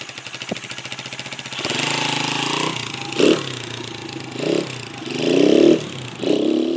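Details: 1996 Honda XR100 single-cylinder dirt bike, bought non-running after sitting two years, after carb cleaning and refilling with fuel: catches on second kick, then crisp even idle with clean throttle blips rising and falling evenly; normal running and revving.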